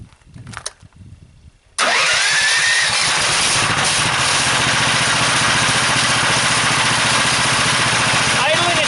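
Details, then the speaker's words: Engine driving the PMA, about 930 RPM and 15 volts: it catches after about two seconds and settles into a steady run with a hissy whine. The whine comes from the PMA with extra magnets and epoxy and is harmless; slight lugging. "oh I should say that new sound is the PMA and it's there's absolutely nothing wrong with it"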